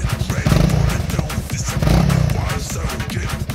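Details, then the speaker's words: Honda CRF300L revved to about 6,000 rpm: a loose license plate buzzes and rattles against a gap at the rear fender; the fix is foam tape between plate and fender. "I discovered that it was the license plate that was vibrating. Come and listen You can hear a rattling sound, that is, the license plate is"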